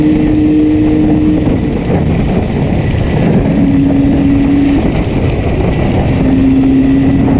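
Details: Yamaha RD350 ridden home under load: steady droning exhaust with uneven, stumbling beat, about four lumpy pulses a second; one cylinder heavily misfiring.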